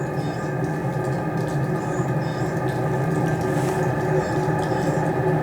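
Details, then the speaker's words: Brand-new Vevor compact diesel air heater turned up to heat level 6 (highest), display showing 110-degree cabinet ambient and 377 shell temperature: steady, even rushing hiss over a low fan hum, no knocks, rattles or surging; normal running. "Six heater, I think is what it's saying. So now it's at the highest level."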